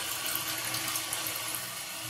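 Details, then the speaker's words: Float-style toilet fill valve refilling the tank with a steady hissing rush of water, then shutting off as the ball float rises; normal fill valve shutoff. "When this ball float rises up and the tank fills, it shuts off your water like so."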